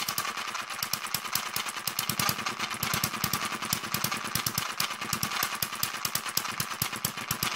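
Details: Newly built Kerzel hit-and-miss model engine, still running in: busy sharp ticking and clatter from the gear train over light running; tight new gears noisy until run in, governor mechanism stiff.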